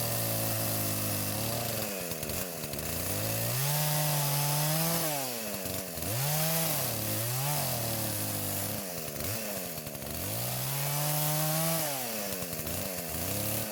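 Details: Poulan chainsaw that would not start despite spark, fuel and compression, now after repair and carburetor adjustments (L screw about half turn counterclockwise, idle screw): crisp two-stroke rasp revs cleanly while cutting and settles to a steady idle each time; normal running.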